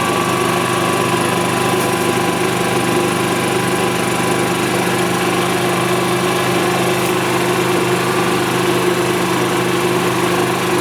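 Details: 1999 Club Car DS gas golf cart after a carb clean, fuel pump replacement and draining cloudy contaminated fuel for fresh gas: a steady, unbroken small-engine drone at one even pitch with no stumbles or surges. The engine is running properly.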